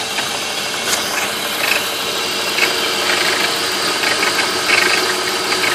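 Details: 1995 BMW E36 325is, M50 engine, warm: tinny teeth-chattering metallic rattle at idle below about 1000 rpm, only after warming up, irregular about once a second; cause unknown, owner wonders about VANOS.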